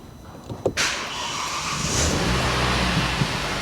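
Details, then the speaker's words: Flood-damaged Kia Ceed GT-Line 1.5 petrol turbo, first start after repair: brief crank catches at once and settles into a steady even run without stumbling, no warning light; clean normal start. "started straight up there's not even a warning light on and she's running it's running really well actually sounds good"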